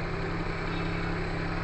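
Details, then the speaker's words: Perodua Kancil after a carburettor change: smooth, steady idle hum with an even low drone, no knocking and no missed beats; the engine idles normally. "Tak dengar apa, tak dengar knocking kan. Tak ada knocking apa semua, tak ada."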